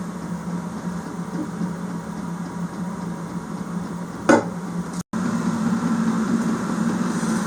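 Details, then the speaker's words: Chinese diesel heater in a garage after replacing the leaking 10 L fuel tank with a 15 L tank. Soft, steady low hum with a faint regular fuel pump tick; runs evenly with no rattle or surging. "I can hear it I can hear it [Music] running"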